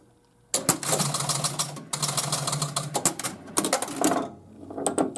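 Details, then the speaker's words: 1976 Bally Freedom pinball machine test after underside playfield work: rapid clattering as the score reels reset from 110 to 0, then a clunk as the ball kicks out. Game starts and resets normally. "Basically, it would kick the ball out, and it would reset this 110 back to 0."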